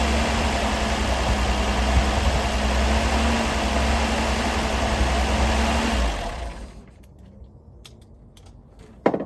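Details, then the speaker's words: 1978 Datsun 280Z with 240Z carburetors fitted untuned, no vacuum leaks, rocker arms still set loose, exhaust leak at EGR tube plugged with a bolt: engine runs super smooth with no shake, a steady low thrum without misses; normal idle. "engine's also running super duper smooth. If you had your hand right here, it wouldn't even be shaking or nothing."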